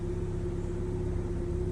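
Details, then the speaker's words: 2001 Ford Fiesta petrol engine idling: lumpy, uneven low rumble from a cylinder-one misfire with no fault codes; found by removing coils one by one, fixed by replacing plugs, coil pack and leads. "this is Ford Fiesta 2001 old version car however it's came with uh engine misfire"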